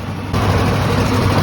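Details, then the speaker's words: Ford F150 5.4/4.6 2V V8 with check engine light: deep rumble with uneven, stumbling beat, continuous misfire on cylinder 8 after misfiring under heavy load, its ignition coil completely dead. "it started misfiring under heavy load and the check engine light came on and now it's a continuous misfire there's cylinder number eight"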